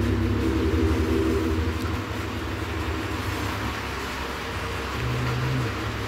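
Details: Mitsubishi Pajero 4 (Pajero Wagon 4) after repair of an engine knock caused by a cracked crankshaft near cylinder 2, replaced with a used low-mileage crankshaft plus new bearings and seals; steady, quiet, even idle with no knocking or ticking, normal idle.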